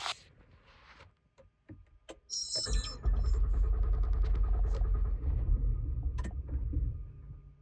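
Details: 2020 Honda Pilot that lost power and shut off 30 seconds after starting, then showed many dash warnings: the starter whirs and the engine catches briefly with uneven firing, then sputters out. It cranks but won't stay running.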